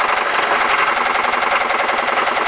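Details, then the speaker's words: 1996 Toyota Celica with 5S engine, 118,900 miles: sharp rapid evenly spaced metallic rod knock, began two weeks after purchase before the motor failed on the highway. "yeah that's rodnock for you a 5s with 118 900 miles on it with rodnock as you can see obviously a wonderful sound thanks"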